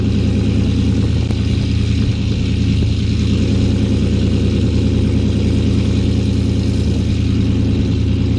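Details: 2018 GMC Sierra 6.2L V8, slightly warm, after Kooks long-tube header and off-road Y-pipe install, cutout closed so exhaust runs through the muffler: deep, smooth, even burble with slight rev swells, no ticking or puffing; normal idle.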